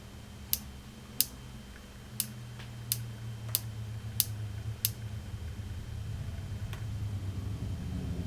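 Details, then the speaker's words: Marshall JTM100 Super PA amp on bench, variac raised to about 100–130 V: faint irregular sharp ticks, about seven in five seconds, over quiet hum; intermittent click from the board, possible arcing, source not found. "as i bring the variac up to about 100 volts i can hear this little sound coming from the board a little click like a little arcing sound or something"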